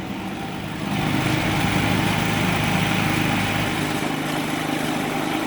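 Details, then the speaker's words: Predator 3500 generator with 131 hours, after an idle jet cleaning and idle adjustment for surging. An evaporative cooler pump is switched on as a light load; after a small rise in speed it settles into a steady, even hum. Normal. "so we'll go on uh pump first no real big load change"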